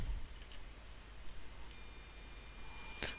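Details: Veon VN3839LED LCD TV that won't turn on, flashing power LED: quiet bench hiss, then a steady high continuity beep from the meter across a power supply diode; that diode is shorted.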